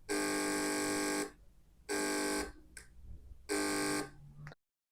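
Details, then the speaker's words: Relay driven by a MOSFET gate, no bulb connected, chatters in loud uneven one-second buzzing bursts because touching the gate acts as an antenna picking up interference, so it can't switch off cleanly; capacitor filtering suggested as the fix. "That sound is the relay trying to activate or deactivate. This is because we're acting as an antenna and can generate interference."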